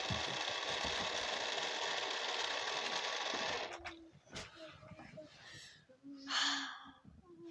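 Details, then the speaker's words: Car with just-changed fuel pump, fan belt fallen off: starter spins steadily about three turns a second for nearly four seconds, never fires, then stops; cranks but won't start. "don't know won't start watch maybe if I prime it now"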